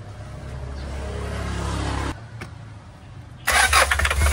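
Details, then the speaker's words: Hyundai Starex GRX diesel cranks steadily but won't start despite a replaced fuel pump assembly, relief valve and heaters; no diesel reaches the common rail from the pressure pump, code P1183 fuel regulator; suction control valve to be replaced first. "Wala pong diesel na umakyat papunta sa common reel kaya nage-error yung common reel sensor natin."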